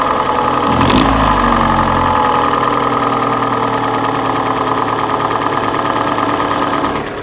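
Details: Hyundai/Kia G4NA engine idling: uneven, loose knock about three per second over the run; piston slap from scored cylinders, scuffing found in the third cylinder on teardown; engine to be sleeved.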